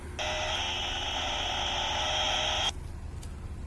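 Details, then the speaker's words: Radio interference on the GB3IR repeater output frequency near a supermarket entrance: steady, harsh buzzing howl for about two and a half seconds, then plain hiss; source unidentified, suspected to come from the store. "so you can hear that very well I'm spraying atop the 1/7 it run over but somewhere around the storefront hair I'm not right on it they're a distinct how you turn the radio up a bit maybe don't need to yeah so don't know what's causing that any ideas leave them in the comments below"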